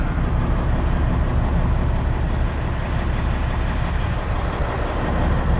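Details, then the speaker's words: 1998 Freightliner Classic XL diesel, 826,000 miles, heard from inside the cab; fully warmed up, about 35 psi at hot idle; steady even low rumble with no knocks or misses; normal hot idle. "The truck's fully warmed up, sits at about 35 psi idle, hot idle."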